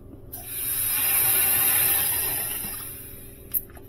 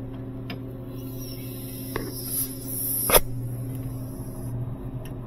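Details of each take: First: Sub-Zero 427R wine system, high-side line pressurized with compressed air after the nitrogen ran out: a loud steady hiss swells for about three seconds, then fades; gas escaping from a refrigerant leak found underneath. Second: Sub-Zero 427R wine system after high-side freon leak repair and switching valve replacement: steady low compressor hum with a couple of handling clicks, temperatures dropping; normal compressor running.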